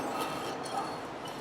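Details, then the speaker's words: 2013 Hyundai Accent front brakes: short, thin metallic squeals over a hiss, made by the pad's shiny worn wear indicator touching the back of the rotor; fixed by replacing the front pads and rotors. "that's squealing hear that noise that's the squealing noise that you get from it"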